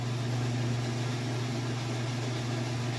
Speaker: And here we are back at the full-blown spin cycle. Sounds great. It's not wobbly. No weird noises or anything. Spinning nice and super fast.